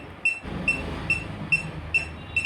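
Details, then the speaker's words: Split AC indoor unit: the leak detector gives sharp high beeps about twice a second, quickening, at the indoor pipe joint, finding a refrigerant leak on the suction pipe flare. "ഇവിടെ ഒരു leak ഉണ്ട് കേട്ടോ. അതാണ് നീട്ടി beep sound കേട്ടത്."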